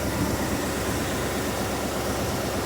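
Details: 1988 Ford F350 dually, 351W V8 with Edelbrock carb and Holley fuel pump, after roadside no-start: low steady rumble at idle with even pulse, no misses or knocks; it then sucked the fuel dry, rust in new fuel filter, tank suspected.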